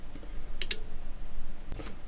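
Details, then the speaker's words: Cambridge Audio Minx Air 100 wireless speaker, no-power fault, nothing hot on a thermal scan: a few faint sharp clicks in pairs with no hum or output; suspected connection or power supply issue, later traced to the switched-mode power supply. "So, there's no hard shot or anything particularly powerful going on. It's just some kind of connection issue or power supply issue."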